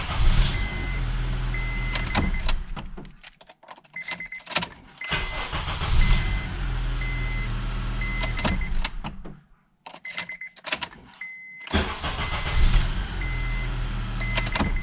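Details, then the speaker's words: Honda Accord (2003–2007 type) after replacing the steering/ignition switch that caused no-start: several quick cranks each catch straight into a steady idle, with the warning chime beeping between, so starting is now normal with either key. "como se puede ver con esta llave arranca de manera completamente normal sin fallar ninguna vez"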